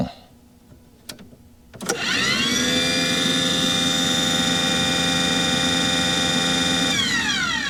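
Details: Aquahot 400D RV boiler: a steady high burner blower whine comes up to speed and holds with no flame rumble or smoke. Owner suspects air in the system is keeping fuel from the nozzle and the CAD cell cuts it off. The motor runs but there is no ignition.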